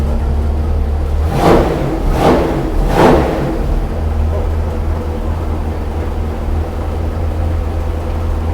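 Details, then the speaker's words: Numbers-matching 440 Magnum U-code V8 in a 1970 Dodge Charger R/T on the dyno, ported heads, exhaust manifolds, bored 30 over, forged pistons, original six-pack rods; three throttle blips then RPM drops to deep, even idle, no ticking or knocking: normal idle. "I'm gonna bring down the RPM. That's your idle. That could be your idle."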